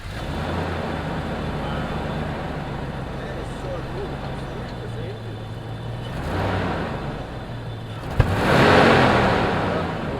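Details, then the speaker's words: Land Rover Discovery 1 V8, running for the first time in a year after immobiliser and alarm bypass: steady idle rumble, then one sharp exhaust backfire pop with a brief surge when given gas; cause unknown. "Gas. There's still a backfire on it."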